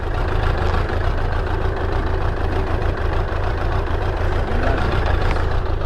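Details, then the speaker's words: Suzuki Bandit 600, hot, choke off: a low, uneven idle that wavers and sags and keeps cutting out. The idle screw is very sensitive and it struggles to idle after the choke is turned off; cause unknown, and the owner aims for about 1000 rpm. "i just got to sort this idle screw out it's doing me adding it's dead sensitive it keeps cutting out i don't know why"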